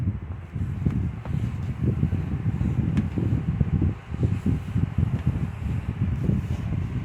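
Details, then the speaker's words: 2014 Lasko 16" table fan 2506 after motor replacement and cleaning, on low speed: low, even whooshing hum, no scraping or clicking; fan runs normally. "It's nice and powerful, and the low speed is actually quite a bit faster than the 2016, if I remember right."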